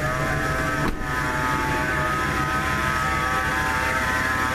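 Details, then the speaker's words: 1997 Ford F150 V8, warm, at idle: a steady high whine holding pitch with the engine pulse. Mechanic said not power steering; A/C compressor pulley was replaced but the whine remains, so the source is undetermined. "I talked to the mechanic way back he said it's not the power steering unit he thought it was coming from the air conditioning compressor pulley I changed that out put another different pulley on and still make the noise so it wasn't the pulley fairing"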